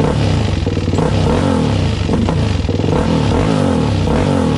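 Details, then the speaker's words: Suzuki LTZ400 after valve clearance adjustment, cold on choke, oil not yet changed: loud busy mechanical clatter over exhaust beat; top end still noisy, cause unclear, owner hopes warm-up helps. "it's still sort of noisy that's still rather noisy ain't it i think that's still sort of noisy you guys"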